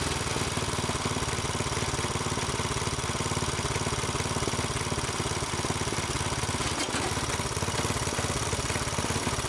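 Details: Small single-cylinder tiller engine idling in neutral after about 20 years sitting, once fuel was added; steady popping at about three to four firing beats a second, even and unbroken: normal idle.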